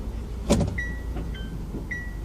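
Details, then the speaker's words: Honda S-MX, column gear change: two clear electronic chimes about a second apart over a quiet idle when reverse is selected; normal reverse-gear warning with dashboard light. "ding dong, there's a light on the dashboard and also a big bleepy thing to tell you. Seems a bit over the top to me"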